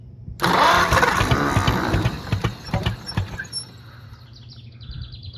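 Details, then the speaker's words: Oliver 70 tractor with rebuilt starter, leaking fluids, at full throttle: catches briefly, firing about four times a second with uneven lumpy beats, then dies; seems to be hitting on only two cylinders, cause unconfirmed. "sounds like it's only trying to hit on like two but has all the throttle"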